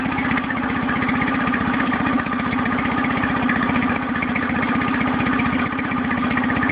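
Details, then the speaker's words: New Nissan 9.8 outboard at first start, running with choke fully in: low lumpy idle with uneven pulses about four a second, engine shaking badly; smoother with a little choke or throttle; owner hopes break-in or adjustment will fix it. "I live where it set out the box it seems to be pretty rough I don't know if you can see in the video but it's shaking pretty"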